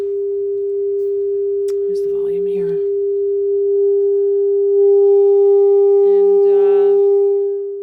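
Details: Luxman R-1030 stereo receiver playing a test tone through the auxiliary input; pure steady tone with no hum or crackle, clean amplifier output.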